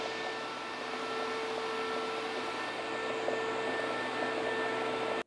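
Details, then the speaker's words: Home-built TIG welding water cooler with a diaphragm pump and flow alarm, freshly filled with coolant: steady, even hum from pump and fans, no knocking or rattling, until switched off. Normal running. "I put some of the fluid in it that belongs in it it's on the colder right there but it's working"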